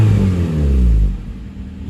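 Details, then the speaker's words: 1990-93 Honda Accord (CB7) after an alternator replacement, with the battery and ABS lights now off: the engine runs smoothly and a quick rev rises and settles with no belt squeal or chirp. "Sounds like she's running smoothly. Give her a quick rev, make sure there's no belt squeal."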